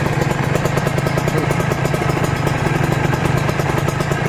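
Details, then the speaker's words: Kawasaki Ninja RR/R two-stroke engine during break-in (run 5 minutes, off 10): even, crisp burble at steady idle with no rattle, knock or miss; very smooth, healthy idle. "tapi mesin ini full halus teman-teman saya hidupkan ya biar kalian percaya [Musik] hiup idle halus banget kalian dengarkan"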